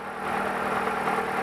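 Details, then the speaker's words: 2009 Dodge Avenger 2.4L just restarted after cleaning stuck-open intake manifold runners (codes P2004/P2017) with carb cleaner and WD40: a steady, even idle hum with no misses, ticks or knocks. Some roughness was expected while the cleaner burns off. "it's going to run rough for a little bit because we got um carburetor fluid in here that's uh burning off right now"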